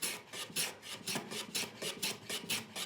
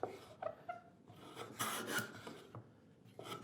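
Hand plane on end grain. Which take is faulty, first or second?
second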